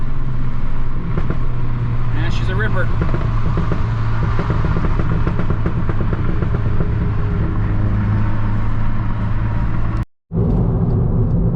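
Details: Mk6 GTI doing a hard freeway pull after replacement of a seized exhaust-side balance shaft, chain and tensioner: engine note climbs smoothly and evenly with no knocks, misses or clatter; healthy under load.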